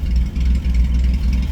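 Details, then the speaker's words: Ford Granada V6 after crash repair, cold start after sitting overnight, with rebuilt and adjusted carburetor and adjusted ignition. Fires right up into a deep, steady idle; the exhaust pulse is slightly choppy, from three cylinders per side, with no knocks or misses. Normal idle. "Well-adjusted carburetor. Well-adjusted ignition system. And you can hear it now, it's a bit choppy with that exhaust exiting down there. That is what you get with 3 cylinders on either side. But it does sound awesome."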